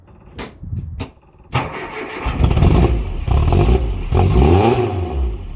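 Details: Mk1 Cortina restoration, first run of the newly fitted engine with no coolant system, fabricated fuel line and pressure regulator: cranks, catches and revs unevenly with a slight stutter on blips; owner blames ignition timing not yet set and fueling slightly off.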